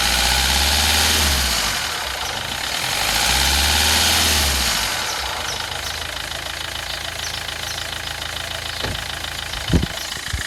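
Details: 2007 Kia Rio CRDi diesel, 270,000 km, idling: fast light metallic rattle about four per second over the diesel clatter; sounds like timing chain rattle, unconfirmed.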